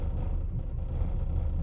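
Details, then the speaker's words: 1999 Lexus RX 300, about 310,000 miles, in drive with AC on: low lumpy rumble with uneven pulse; AutoZone scan showed cylinder 6 misfire, owner says ignition coil is bad; check engine light solid, not blinking. "the ignition coil is bad so the engine is not firing correctly in one cylinder actually it's been cylinder six because i just went to auto zone and they checked it for me"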